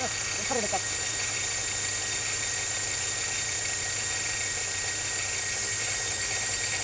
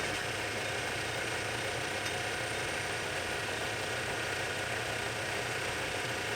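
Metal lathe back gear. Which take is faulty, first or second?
first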